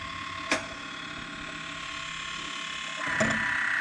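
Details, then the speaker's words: Woodland Mills Grindlux 4000 sharpening old Lenox sawmill band blades: a steady whir, then a light rasping grind as the lowered wheel just touches the gullet bottom, which indicates correct grind wheel height. "You can actually hear the disc, or the grinding wheel, starting to touch, create a bit of friction on the bottom of that gullet. That's what I'm listening for."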